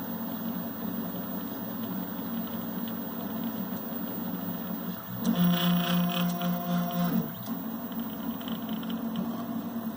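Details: MPCNC gantry hums softly, then gives a louder rough buzzing hum for about two seconds as the X and Y stepper motors move diagonally together; cause unclear.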